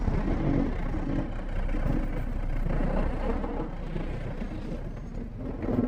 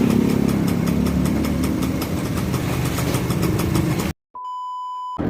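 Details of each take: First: Yamaha V80 two-stroke that sputters and dies while riding as if out of fuel, runs again on choke: uneven stumbling exhaust sagging under uphill load. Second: Yamaha V80 two-stroke after replacing the original spool (owner's fix for stalling and stuttering while riding, running only on choke): steady, quick even idle with no stumbling or cutting out; normal idle.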